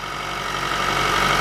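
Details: Honda, cold start at about −30 °C without block heater, after cleaning the filter screen feeding oil to the VTEC solenoid: smooth, even idle with light steady whine, no ticking; the cold-start knock has stopped.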